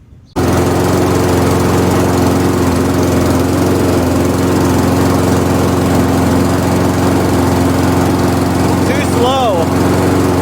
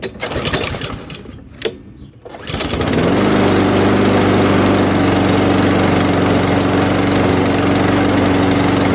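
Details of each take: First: MTD Pro mower with Honda GCV160 engine after carburetor jet drilled one size and new fuel line fitted: steady but noticeably slow, soft running, never reaching cutting speed; governor spring tension set too low, later reshaped. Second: MTD Pro mower with Honda GCV160 engine after repairs including choke adjustment, reassembled for a final test: after a few pulls it catches and settles into a steady, even run at constant speed, no misses or surging; runs healthy.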